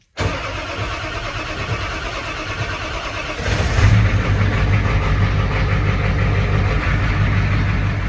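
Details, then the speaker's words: Ford F-350 with 7.3 IDI diesel and ZF5 gearbox, after a dual-mass flywheel re-ring. Glow plugs cycled three times, then a cold start with no ether: brief crank, then steady deep diesel clatter. Normal diesel cold start. "And there you have it. A cold start with the actual glow plugs without having to use ether."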